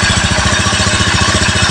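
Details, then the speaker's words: Rebuilt Honda Beat FI ESP engine idling cool during run-in, crankshaft bearing quiet: quick light tapping over a steady idle comes from the engine cover rattling because its bolt is missing, not from internal damage. "Kalau ada yang keletek-keletek itu di bagian koper engine karena tidak ada bautnya ya."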